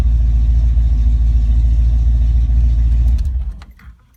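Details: Ford Mustang Foxbody V8 with rebuilt, tested A9L mass air ECU: strong even rumble held about three seconds, then winds down and shuts off cleanly, no breakup; normal running during ECU test.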